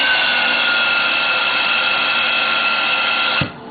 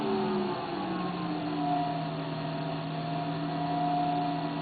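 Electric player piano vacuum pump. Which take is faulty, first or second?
first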